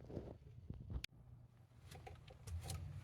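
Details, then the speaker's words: Boat trailer wheel after fitting new wheel, tire, bearings, races and seal: spins quietly with soft low rumble, no grinding or clicking, unlike the bad bearings heard before. "oh yeah nice and quiet so new wheel and tire new bearings new races new wheel seal"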